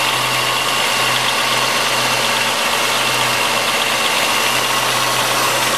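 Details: 1997 Chevrolet Malibu 3100 V6, 75k, lower intake manifold done about 8k ago: cold start idle with steady busy clatter, owner calls it piston slap; cause unconfirmed.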